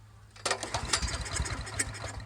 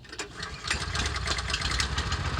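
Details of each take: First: Honda GX390 single-cylinder engine fitted to an Ariens Rocket 8020 rototiller, throttle at mid, primed with a shot of gas down the carb: silence, then quick uneven pops as it fires off the prime; wants to run. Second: Ariens Rocket RT 8020 rototiller fitted with a genuine Honda engine replacing its 13hp GX390 clone, being test run; single-cylinder thump rises and falls in steps instead of holding steady revs; engine hunting and surging.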